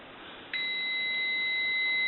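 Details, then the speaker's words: AE Monophone rotary desk telephone, receiver capsule measured at about 3.2 ohms, near a dead short; a clean, steady high beep holds for nearly two seconds; the capsule is basically bad despite giving a little receive audio. "across the meter and we're getting about 3.2 so that receiver capsule is basically bad even though it has a little bit of receive in the audio"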